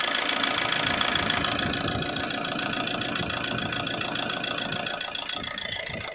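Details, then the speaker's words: 2007 Suzuki Swift diesel, 16 years old, long cold starting and misfire feel, at raised idle: even brisk diesel clatter; rail pressure sensor reads 1.6 V versus about 1 V normal, rail pressure high, faulty stuck rail pressure regulator valve (DRV). "इसमें 1.6 आ रहा है क्योंकि rail pressure high है। तो हमारा sensor बिल्कुल ही बराबर है। हमारा डीआरवी फौ्टी है।"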